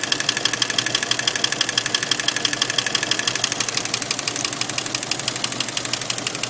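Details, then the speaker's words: 1992 Jeep Cherokee Laredo 4.0 L inline six at idle: sharp steady ticking about three clicks a second over engine hum, sometimes fast, sometimes slower, sometimes stopping entirely; cause unknown. "yeah sometimes it goes from uh clicking really fast to not clicking as much like it did there and then some once it stopped all together"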